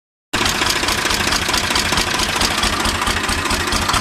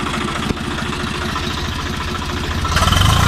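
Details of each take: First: 855 (FE) diesel tractor with black smoke and increased engine noise: loud, fast top-end clatter at idle; owner suspected loose tappet or broken bolt, found a broken rocker arm bolt. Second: 855 diesel that had engine noise and black smoke from a broken rocker bolt, replaced with a genuine bolt: steady low chug at idle, then revs briefly near the end; no knocking, normal idle.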